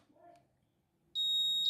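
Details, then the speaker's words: Electrolux LT15F washer power board powered up with the interface board harness unplugged: a single steady high beep (about 4 kHz). The buzzer sits at the power board's voltage output, so the power board is likely OK. "e deu o apito é porque provavelmente a tua placa de potência Tá OK tá porque esse buzzer aqui ele fica aqui praticamente na saída de tensão aqui da placa de potência"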